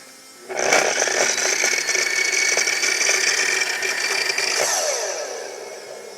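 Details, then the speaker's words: Makita miter saw after about 16 cuts through 1.5-inch-thick elm over roughly two hours: motor slowly winds up then holds a thin, labored whir never reaching full speed, cause unknown; motor running slow and weak. "there's no way that's going fast enough I don't know what's wrong with it listen to it start up it kind of takes it a while to get going and even when it gets going it's not going fast enough that's just weak"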